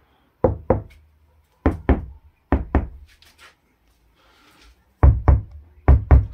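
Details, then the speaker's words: Dacia Spring roof after first vibration-damping layer, plates heated with a hair dryer: knuckle taps give short, dull thuds with no tinny ring, panel still moves slightly, second layer still to come; damped roof panel. "încă un pic se vibrează, adică se mișcă așa, dar oricum nu se mai aude a tablă goală și când o să pun și stratul 2 o să fie și mai bine."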